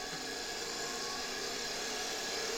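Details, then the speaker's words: 1973 Electrolux Z320 vacuum cleaner motor bench-run at 24V after removing its exploded RIFA interference-suppression capacitor; smooth, even high-pitched whir, no brush sparking at all, runs quietly: normal motor run. "At this voltage, you can't see anything sparking on the brushes. Absolutely nothing, no sparking at all, at this 24V voltage . I'm turning it off. I think it's quite nice; this motor runs quietly."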